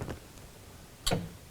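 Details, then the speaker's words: Classic VW Beetle after fitting a mechanical pedal-mounted brake light switch: two sharp clean clicks about a second apart in a quiet cabin as the pedal moves; brake light switch clicking on normally, though owner is leery of the switch. "you can hear the switch clicking on. I'm really leery about that switch."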